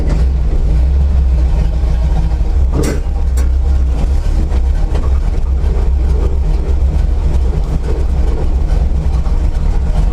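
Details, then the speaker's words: C10 truck V8 just started and warming up: deep idle with an uneven, stumbling beat behind a squeaky belt, blowing smoke; misfire at idle, owner suspects plug wires, coil or distributor, plus likely worn rings. "I don't know if you can hear behind the squeaky Bell but it's misfiring it doesn't it just doesn't run right I don't like it"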